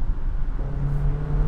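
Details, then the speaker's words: 2023 Honda HR-V with CVT, accelerating up to speed: loud, steady low drone holding one high pitch as the car gains speed; engine held at high revs under heavy throttle. "oh boy getting up to speed oh it just makes such a racket yeesh"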